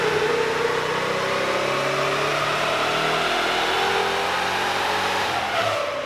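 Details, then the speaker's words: VEE080, a boosted LS V8 drag car, after the plug leads were separated to stop cross-jumping. Pulls hard under boost with the note wavering and stumbling near the top; the intermittent misfire remains. The problem plug lead is being re-terminated. "so rex is re-terminating the problem plug lead because it everything sort of is pointing to a plug lead the issues that we're having which is strange"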